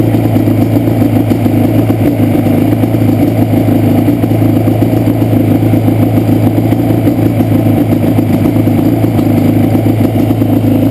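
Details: Banshee two-stroke: uneven, stumbling idle with missing pulses from a terrible left-cylinder misfire, pipe not even warm at idle; carbs rebuilt, balancing tried, air screws adjusted, problem does not follow the plug, cause unknown.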